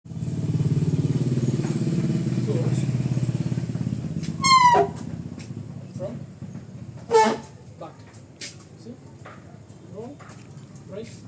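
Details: Honda ADV 150 scooter after brakes and CVT were cleaned: low even idle, then two short high-pitched squeals a few seconds apart as the brakes are applied; squeaky brakes.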